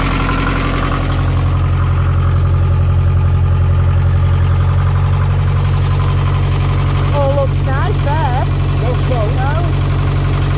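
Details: Narrowboat Laura's BMC 1.5 diesel after its worn injection pump was removed and refitted: steady, even idle thumping at about 230 beats a minute with no misses or knocks; normal, healthy diesel idle.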